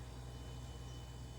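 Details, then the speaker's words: Samsung all-around-cooling refrigerator after replacing the evaporator cover and fan assembly (OEM DA97-21002A) that had been humming loudly: fan kicked on, barely audible, just a faint steady quiet hum with no rattle or ticking, as it should be. "condenser is kicked on but you can barely hear it's just a nice quiet hum the way it should"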